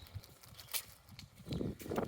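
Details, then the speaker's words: Mk1 Mazda MX-5 with a power steering rack rebuilt about 2 years ago: irregular hollow front-end clunks and knocks from a failed track rod ball joint in the rack. "And what that is the rebuilt steering rack. Has a track rod, ball joint that's failed."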